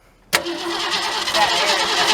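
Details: 1967 Ford Galaxie 500 with a 289 two-barrel V8, first start attempt after 25 years: the engine cranks steadily but never fires. Fuel starvation: the fuel lines appeared to be connected backwards, pushing air instead of fuel.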